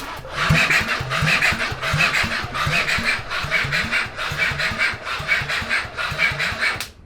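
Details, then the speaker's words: Honda SOHC CB750 engine swapped into a Suzuki Quad Sport 230, cranking for the first time in years with fresh 10W-40 oil and starting spray: the starter drags the engine slowly, about one labored stroke per second, never catching. Slow cranking from a weak battery. "battery sounds weak very weak cut off the switch all right so we're gonna need a better battery"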